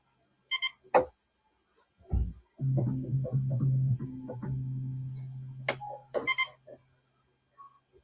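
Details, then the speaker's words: Yamaha CS-60 synthesizer, M board voice VCO being adjusted during capacitor replacement, low C checked: low steady note about three seconds without drift or wobble; VCO in tune. "Okay. So, it's in in tune at the moment."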